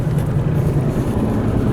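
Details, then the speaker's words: Car rolling on the road: low steady growl under the road noise that goes quiet when steering to the right; a failing wheel bearing. "I don't know if you can hear that growling or not but as soon as I go to the right it gets quiet"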